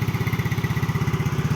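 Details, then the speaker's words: 2009 Yamaha Mio scooter idling: an even, steady putter with no misses, knocks or rattles; the engine and CVT are described as smooth, a healthy normal idle. "Bisa lihat suara halus CT juga halus ya."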